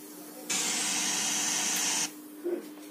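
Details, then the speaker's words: Sony CRT TV KV-J21MF1, opened for a pincushion/width fault, leaving standby with no picture on screen; loud hiss bursting for about 1.5 seconds over a faint steady hum; owner suspects a flyback transformer problem. "প্রচুর পরিমাণে আওয়াজ হয়। আওয়াজটা আপনারা শুনতে পাচ্ছেন হয়তো, এই যে দেখুন। যাই হোক, এটা মনে হচ্ছে ফ্লাইব্যাকের সমস্যা।"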